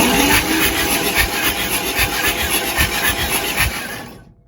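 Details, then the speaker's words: 1948 Chevrolet 3800 dual-wheel stake bed truck, parked nose-down for years with water entering through an open vent and drain tube. Fresh oil and Seafoam added, spark plugs out, cranked: a fast, even whir with no binding. The engine turns over freely. "that's a good sign good sign she spins over so she's waiting on some more parts"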